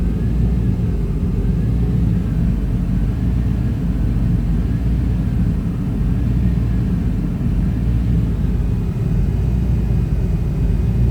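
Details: 1995 Chevy Tahoe K-series 5.7L V8 rough idle: deep uneven lumpy pulse; scan shows throttle position sensor not communicating, truck won't shift, TPS replaced twice; owner suspects wiring; smoke seen near passenger-side headers.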